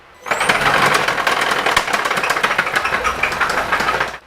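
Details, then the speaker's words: 2017 Hyundai Sonata Hybrid with 88,000 miles, brief run: loud metallic clatter from the instant it fires, fast uneven rattling over idle for four seconds; slack timing chain slapping, needing a new timing kit. "now I didn't want to run it too long but just enough you can hear that crazy noise that's the timing chain"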